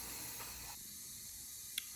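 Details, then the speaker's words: Toyota 20R engine leak-down test: steady airy hiss under test pressure with no rhythm; exhaust valve seat leaking and air escaping past piston rings that have not seated properly. "so the exhaust side is leaking and you can hear the rings the rings aren't seated properly"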